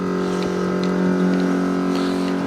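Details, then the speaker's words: 1957 Chevy with dual FST carbs, new electric fuel pump run off a jumper pack while setting the regulator: steady strained hum, lots of pressure; dead-headed, excessive pressure. "we'll just see right quick if it's going to can I hear it it's picked up oh that's lots of pressure"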